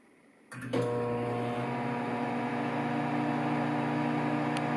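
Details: Samsung 1.9 cu ft microwave at start-up: a sharp click, then a loud, steady humming drone with a rattly buzz, pointing to abnormal vibration inside.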